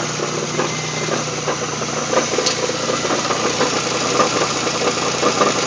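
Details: GM 3800 V6 in a Pontiac Grand Prix GTP at idle: a dry, fast metallic rattle rides over a steady idle, constant with no rev change; the source of the engine rattle is not yet identified.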